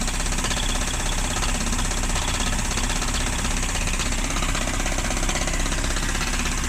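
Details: 1994 Mazda Miata at idle: an uneven knock about twice a second through heavy clatter; a rod knock is suspected but unconfirmed.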